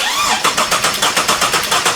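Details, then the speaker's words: Ford EF XR6 turbo straight-six, long abandoned, cranking: about seven pulses a second with an uneven beat, one cylinder not pushing back, as if compression-testing itself; that cylinder was later found to have lost compression. "this motor was missing comp in one of the cylinders now I didn't realize it at the time but I sent this video to olle and he swiftly pointed out to me that it sounded like it was doing a compression test on itself"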